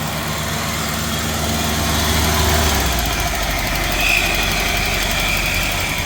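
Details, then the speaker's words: Old Trans Am update run; engine holds a fast, steady raised idle that never settles because the throttle isn't returning, needing a throttle return spring: high idle from missing throttle return spring. "Need a throttle return spring, Dad. Ran out of gas? You need a throttle return spring, just a minute."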